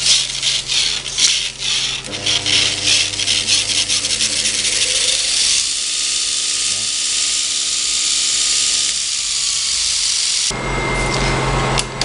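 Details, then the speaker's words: Multitool grinder upgrade kit, arm in the bottom socket with original platen set just under the belt: steady hum with a constant scratchy hiss; belt rubbing on the platen. "You can set it so that the platen is just sitting underneath the belt, and you can hear it. You can actually hear it there rubbing."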